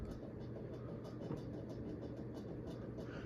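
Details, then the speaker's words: Carroway 52-inch Spinner ceiling fan, model EF100, on high: light regular scraping ticks about three a second over a low hum, with a hint of bearing noise; the canopy is rubbing on its mount. "ah I spoke too soon yeah that's the sound of the canopy rubbing on the"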